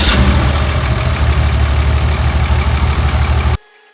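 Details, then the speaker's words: Cummins 24v diesel with about 8-year-old 100-over injectors, one injector harness unplugged at idle for a cylinder test: deep clatter with uneven lumpy beat about three pulses a second; choppy, but test gave no clear direction. "You guys could hear it idling. Wasn't much sound change. Of course, it got choppy with the injector disconnected, but didn't yield any results that please me anyway, that point us in the right direction."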